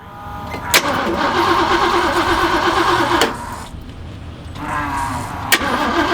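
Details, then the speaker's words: 1978 Jeep after fitting a new electric fuel pump and filter feeding the carburetor, pump primed: engine cranks, catches and settles into a steady idle, then cranks and fires again; starts and runs normally. "I've already primed it a couple of times to make sure that the pump turns on, so we'll go ahead and try to fire it up"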